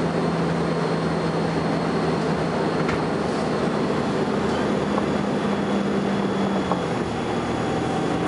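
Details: First Manchester Volvo B10BLE bus 60403 (S670SVU), recorded 30 May 2011: steady high-pitched whine at fixed pitch over diesel rumble, fading near the end; source unclear.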